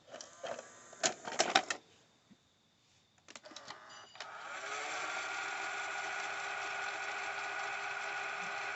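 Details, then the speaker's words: 1980s RCA VLP950HF VCR: after mechanical clicks and clunks, a steady even mid-pitched whir as the tape winds slowly; an old belt-driven deck with some gooey belt remnants but clean enough to operate, normal slow fast-forward motor whir. "of course doing due to it being an 80s machine it's not going to be wine fast or slow let me wind fast and all that of course it's going to be very slow"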